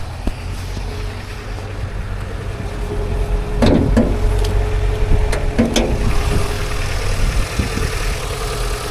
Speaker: It starts up alright. Sounds alright, leave that to get warm a sec.